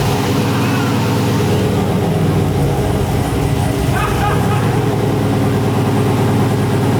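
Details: Freshly built 6.0 LQ9 turbo V8 in a Silverado, first startup on Holley setup-wizard tune with wrong injector data and map sensor taped, 55 psi oil pressure: fast raised idle with steady deep drone that never settles; idle really high.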